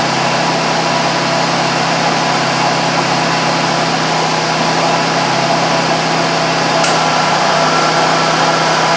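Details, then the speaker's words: 2001 Buick Park Avenue after replacing the AC compressor clutch and pulley bearing, which had made a horrendous noise with the clutch disengaged: smooth even idle with no growl from the pulley; the clutch engages normally with AC on. "I did run it no horrendous noise when it's not on now which is good and the I turned the AC on and it can clayed the klaich the clutch engaged and it worked fine"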